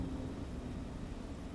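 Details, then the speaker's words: 1992-or-later Chevrolet Corvette C4 heater blower after blower motor module (resistor) repair, lowest speed: soft steady whoosh, no ticking, rattling or surging, then fine at higher speeds; smooth, quiet normal operation. "nice and low turn it up to five turn it up to 10 awesome shut it off nice and quiet just the way we like it"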